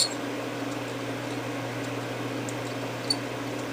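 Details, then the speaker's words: Seagate FreeAgent external hard drive being cloned on an imaging station, about 60% imaged. Steady low hum with two brief high squealing chirps as the drive strains to reread previously unreadable damaged sectors. "That little squealing sound is where the drive is trying to read. And so now is where you really start kind of trying to push it hard to try to read those areas that it couldn't read before."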